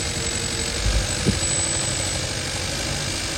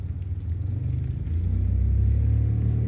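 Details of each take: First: 2015 Kia Forte 1.6 GDI with multiple misfire codes, idling with the coil 4 connector unplugged: the tune changes to an uneven, stumbling idle with irregular thumps, unlike unplugging coil 3, showing cylinder 3's ignition coil is bad. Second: 2015 Kia Forte 1.6 GDI after pulling a coil found bad for multiple misfire codes: catches quickly, revs rise and settle into a low even idle with steady beat and no stumble; runs clean.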